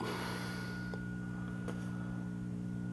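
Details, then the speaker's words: 1931 Philco model 70 cathedral radio after repair, separating two circuits that had shared one filter capacitor, which caused the hum: low steady faint residual mains hum, far less than before, acceptable. "a slight home but nothing like it was"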